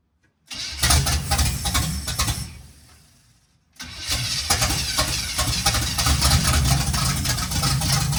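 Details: 1951 GMC cab-over truck first start with no fuel to the carburetor yet: catches and runs rough on sprayed starting fluid, fades within seconds, fires again as more is fed; timing is off, might need more timing.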